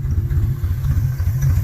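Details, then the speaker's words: Cold start in snow, old boxy car: deep uneven idle surging and sagging in quick pulses just after start; stumbling idle, owner suspects it is running out of fuel, running on fumes; not confirmed. "looks like we're running out of fuel there too we're just running on fumes"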